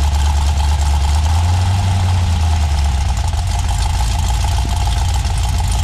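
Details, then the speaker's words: GM 6.0 LS V8 on a stripped-down truck harness, after the dipstick caught under the windage tray was pulled out, straightened and refitted: a steady, even low idle rumble with no knocking or scraping; the engine sounds smooth. "Pulled it out, straightened it, put it back in. Noise gone. She sounds like a dream."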